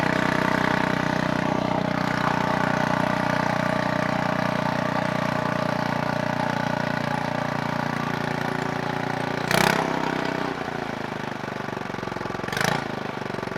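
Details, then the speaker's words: Scooter-engine reverse trike after years sitting, PB Blaster applied, no coolant so short run: engine keeps buzzing at raised revs then sags slowly; throttle still not returning all the way without being pushed. "still not returning all the way without being pushed"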